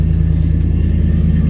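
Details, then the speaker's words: Salvage-auction truck, 30,000 miles: deep, heavy unmuffled rumble with a fast even pulse at idle; exhaust far too loud, mufflers possibly missing. "oh wow I don't know if somebody put a muffler on it or if someone stole the mufflers off of it"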